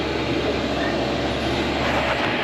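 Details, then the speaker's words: Diesel air heater newly installed in a Promaster van, first run after the initial smoke burned off, blowing really hot air: even, steady blower whoosh over a low burner rumble with no surging or popping; normal running. "okay so now it's running and this is how it'll look normally after all the smoke's burned off and it should be blowing hot air"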